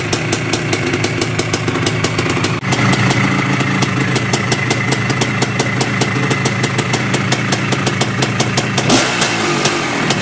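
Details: Yamaha IT490 two-stroke single after engine install and rebuild, running 40:1 premix after a few heat cycles, with a temporary silencer stuck on; crisp, even popping at a steady fast idle with no misses or rattles, healthy.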